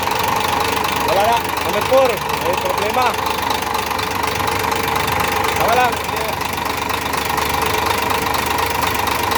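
Engine idling with an uneven knocking rising above the running note, no steady rhythm; a knock whose source isn't yet pinned down.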